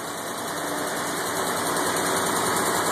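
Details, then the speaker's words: M38a1 Jeep petrol engine at idle with fast, steady light valve clicking. The owner suspects a stuck valve in cylinder two, which reads 77 psi compression versus 115–130 on the others; valve train clicking. "kind of hear the valves clicking there i think i have a stuck valve in there because it's the number two cylinder it's only reading 77 psi"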